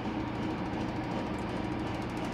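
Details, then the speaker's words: 2015 Whirlpool Cabrio washer on High spin setting, reaching 850 rpm after a slow ramp-up; smooth even whir with low steady hum, no knocks or scraping, a normal high-speed spin. "ramping up the 850 but yeah going up yeah it's about at 8 50. that took a while to ramp up"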